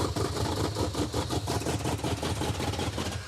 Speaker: Wow. This thing runs awful. It runs even worse than when it wasn't running at all. It's because it's glugging fuel is why.